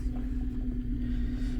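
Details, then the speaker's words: Infiniti FX37 before valve adjustment, valves found tight on one head; low wavering uneven idle with hum, engine misfiring, bank 1 misfire suspected from a burnt tight valve, unconfirmed; rough idle. "Запустив я двигун і машина впевнено троїт. дуже запущений випадок на грані того, що може й не допомогти регулювання."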